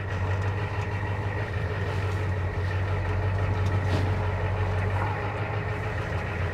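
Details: 1984 Ford F250 diesel idling after the vacuum pump repair restored the power brakes (brake warning light now off): steady, even low rumble with no knocks, misses or surges; it is idling smoothly and healthy.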